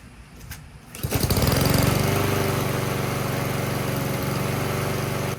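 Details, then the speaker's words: Honda-type small petrol engine after cleaning the carburetor pilot jet: starts and runs steady without surging past 2-3 minutes once automatic choke opens; surging fixed. "here we are about 2 minutes in still sounding good and that's about 3 minutes right there that's way past the point of where it had a problem before so it looks like it's working fine"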